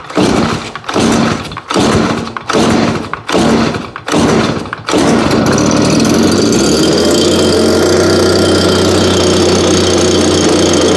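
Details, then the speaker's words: Fairly new two-stroke blower, hardly used, started at about 30°F after 5 months of storage on ethanol-free fuel with no stabilizer, primed three times: catches after six pulls and holds a smooth, even idle, smoother than the older BG86, with good throttle response. "so so idle's way better than the old bg86 that we have again it is you know fairly new so i'll give it to the condition that it's in of starting and idling a lot smoother and throttle response is definitely incredible"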